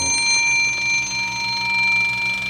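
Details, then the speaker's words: 1948 Gottlieb Olde King Cole pinball, fully restored: bright clear bell tones ringing and decaying cleanly, no buzz or rattle; a different bell sounds when advancing the bonus. Normal scoring bell chime. "wind lit extra special advaned bonus there's a different Bell involved when you're advancing your bonus"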